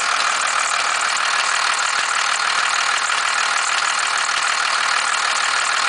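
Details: 1991.5 First Gen Cummins 12-valve diesel, cold start at about -10, idle: a regular sharp rattling knock about three times a second rides over the diesel clatter, with slight squealing; owner cannot pinpoint the source or cause.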